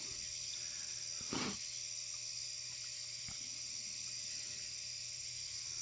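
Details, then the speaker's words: 400W HPS Hubbell floodlight warming up: steady, even ballast hum with a bright high buzz and no flicker or crackle as the light gets brighter; normal operation. "hope you guys can hear that humming from the ballast getting pretty bright"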